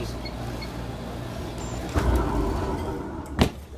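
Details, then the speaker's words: Alliance IPSO stack dryer after replacing worn drum rollers/bearings that were rubbing: low, even drum rumble with no squeal or grinding, a couple of handling knocks; heating and turning smoothly, healthy. "see now this thing's running good it's heating up it's turning it's not making any noise got a nice roll to it"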